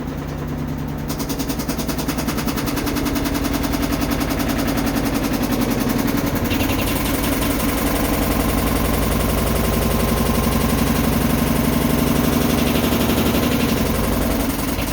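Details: Samsung WF330ANW front-load washer in spin cycle: fast banging, rattling and metal striking over a low rumbling drone, heavy vibration, drum slightly out of alignment, quiet during wash; owner suspects loose part, shock, spider bracket or bearing; unconfirmed.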